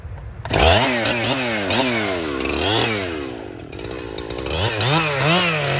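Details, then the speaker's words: 1997 Husqvarna 371 XP two-stroke chainsaw, rebuilt by a local shop after blowing up, bucking a dead red oak into firewood in the rain. It screams up, bogs slightly into the wood and recovers across repeated cuts, pulling strong; normal cutting under load. "And if y'all want to, we'll saw a couple pieces. Just hear the music of the old husky."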